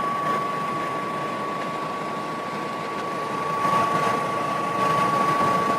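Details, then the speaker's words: DeLonghi Pinguino portable air conditioner cooling with compressor running: rear exhaust fan kicks on expelling hot air, steady even whoosh with thin constant hum, no rattle or scrape; normal exhaust fan operation. "You can hear the compressor going. And then the exhaust kicks on back here, getting rid of the hot"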